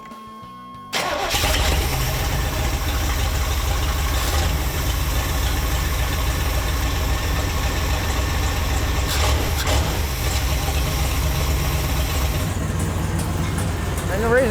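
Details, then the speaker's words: Long-stored barn-find car, first start after fixing a fuel leak at the injectors: catches into a loud, deep, raw idle with a harsh exhaust note because the catalytic converter and downpipe are missing. "why she's as loud as she is right now is cuz she's missing the Cadillac converter"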